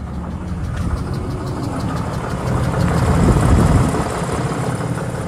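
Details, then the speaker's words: 2022 Ram 3500 diesel, hot-shot truck pulling about 25k lb goosenecks, cold start after preheat: near-normal idle with a dull uneven knock; owner says not lifters but compression loss, codes P2459 and P242F, knock grows louder warm and under load. "it almost sounds normal but listen carefully as this engine uh warms up the the the knock's going to be a you know more audible when you blop the throttle"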